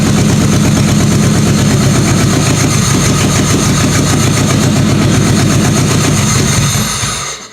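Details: Toyota Camry engine swapped into a demolition derby car, first start, EGR delete, new simple wiring harness: loud, uneven chugging idle around three or four beats a second, then dies; seems to be over-fueling, possibly a bad sensor.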